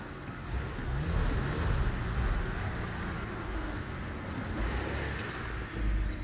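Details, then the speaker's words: 2007 BMW E60 525i automatic, on the lift in drive with wheels spinning: low steady drone rising and falling with revs, no whine or clunk; normal drivetrain running. "what's it sound like it sounds perfect now"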